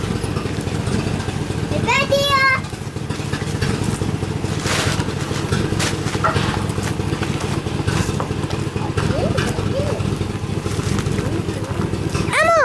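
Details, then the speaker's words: Swapped-in used 1999 5.7 V8 (118,000 miles) in a 1997 Suburban, exhaust not yet fitted: steady, fairly even idle with deep exhaust note, no knocking; engine runs properly. "so i drove around the block it run pretty good uh it's not really missing right now so maybe just had some stuff to work out"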